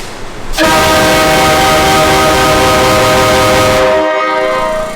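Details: Train horn on a Ford truck run unrestricted: a loud, steady multi-tone blast for about three and a half seconds with the full chord sounding, now getting enough air, unlike the earlier restricted runs that fired only some horns.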